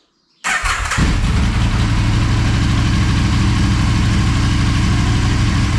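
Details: Motorcycle's second start after full teardown and rebuild, coolant and oil topped up: catches quickly, settles into a low, steady thump at idle with no misses or hunting; normal healthy idle.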